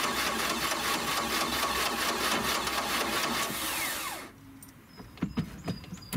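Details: 1986 Four Winns 170 Horizon with 3.0L MerCruiser, first start after winterization, carb primed with a few pumps: about four seconds of steady cranking at roughly two pulses a second without catching; slow to fire, may need fuel pressure built.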